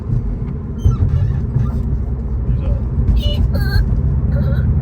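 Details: 2008–2014 Subaru WRX while driving: short high-pitched squeaks over steady rumble every time the clutch is used for shifting, caused by a cracked clutch pedal assembly, fixed by replacing the pedal assembly.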